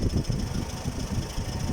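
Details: Toyota 1AZ-FE engine at idle: low, loose rhythmic knocking, several beats a second like a bolt rattling, attributed to the flywheel.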